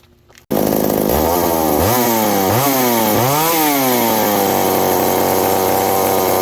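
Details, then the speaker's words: McCulloch 790 (MC101) chainsaw with new 090 carburetor: repeated quick blips to a thin screaming high rev; stays lean at high revs, leak suspected at intake gasket, owner suspects loosening muffler (broken bolt) causes it. "Yeah, once you rev it up real high, it's remaining lean, so there's a leak somewhere."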